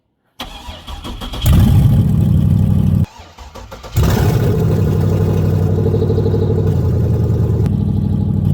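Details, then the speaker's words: First fire of a 6.0 LQ9 V8 from a 2004 Escalade, LS-swapped into a 1975 Suburban, with no exhaust or cooling system fitted. Starter whirs, the engine catches and settles into a loud, raw, open-header idle with even pulses; healthy. "Want to see if it's going to fire. Has no cooling system or anything right now. So, we're not going to run long."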